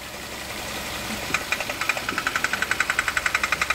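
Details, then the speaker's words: Kia Cerato 1.6 automatic, on a lift: a sharp metallic knock, about eight a second, sounding like the engine, in drive, reverse or neutral but barely in park. A timing chain and tensioner replacement did not cure it; the actual cause is a cracked flexplate. "вот этот стучка стучит в моторе очень похоже на стук мотора"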